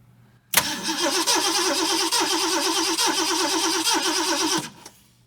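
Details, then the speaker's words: 1969 Ford Mustang V8, one owner, 59K original miles, sat 30+ years: even rhythmic starter cranking during a compression test. Readings are cylinder 5 about 95, 6 about 120, 7 about 115; weak spark suspected. "let's do a compression check. See what we got."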